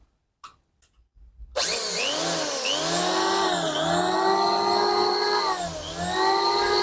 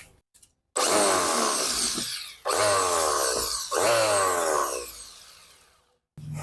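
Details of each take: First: Richu model R7900 electric planer after bearing replacement, following complaints of a loud noise at the front: motor winds up to a high steady whine, dips briefly with each pass and recovers smoothly; an even, healthy planer run. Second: Richu electric planer, complaint of a loud noise at the front, test run with the belt fitted: harsh, loud buzzing whirr in bursts as it spins up, shaking very strongly; likely unbalanced cutter blades.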